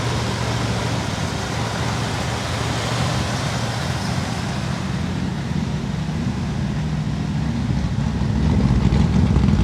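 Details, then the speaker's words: 1964 Chevy Bel Air with replacement 350 small-block V8 and Carter AFB carb, after sitting for years: steady fast idle, slightly uneven underneath; won't idle down, must stay 800–1000 rpm or it stalls. "dol it doesn't want to come down it's got to stay 800 to 1000 RPM or it just stalls out"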